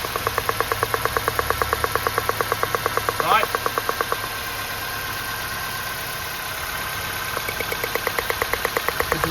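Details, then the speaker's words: 2005 Nissan Pulsar N16 petrol engine idling rough, ignition coil pulled out slightly with the microphone close: faint, dim ticking about three times a second and unburnt fuel smell, indicating a weak spark before coil replacement with aftermarket coils. "very dim ticking sound. We need this sound to be very loud to have a good ignition spark."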